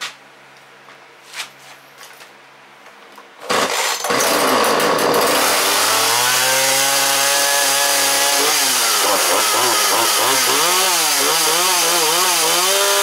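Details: Husqvarna 137/141 chainsaw just after carburetor installation, fresh gas: a few pulls, then it fires and buzzes high, pitch rising and falling as the throttle is blipped; runs and revs cleanly.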